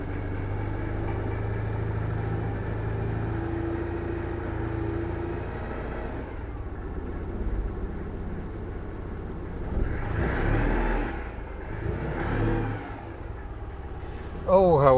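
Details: One of a fleet of cars (CityRover, 2CV, Invacar, Toyota Tercel) being restarted after five months locked up; the engine ticks over evenly with a low rumble, then takes two brief revs that rise and fall cleanly, running normally.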